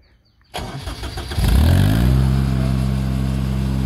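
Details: Grasshopper mower that stalled from no fuel because the tank pickup tube fell off the 90-degree fitting, after interim fuel-line fix: brief cranking, then catches, picks up speed and settles into steady, even low run; normal start.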